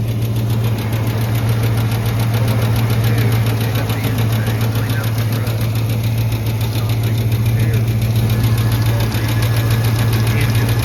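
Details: Truck idling after a struggling start on a cool 61°F morning, oil pressure good but drops once oil warms: light, quick tick three to four times a second over steady idle; out-of-balance accessory pulley ticking.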